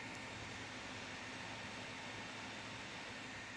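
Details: Laptop cooling fan powered from a USB 5 V line via added wire: soft, steady airy whir with no ticking, rubbing or grinding; fan spinning normally.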